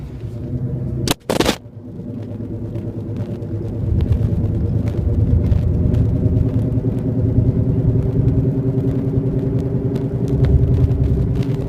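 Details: 1999 Subaru Legacy 2.5 GT while driving; a low droning rumble from the rear with an uneven throb that rises and falls with speed; source unknown.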